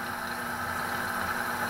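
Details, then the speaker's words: Electrolux Silent Control 12 kg (LAC12) washer on the Normal program with Silent Cycle, light-coloured load, advanced straight to spin: steady, even mid-pitched hum with no knocks or scraping; normal spin cycle. "vou até centrifugação e agora então vou deixar ela fazer a centrifugação"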